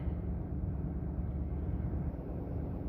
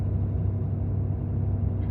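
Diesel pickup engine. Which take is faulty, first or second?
second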